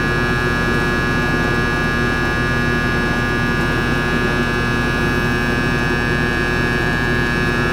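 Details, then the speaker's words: Ruud AC unit that trips its breaker, on a start attempt after connecting the purple wire running to the capacitor: steady loud electrical hum with no compressor pickup; a short seen, and the compressor is suspected shorted, not confirmed. "Wow, something fucking shorted there. I wonder what the fuck was. Wow. You see that? Fucking short. Wow, compressor's shorted or something's fucked up."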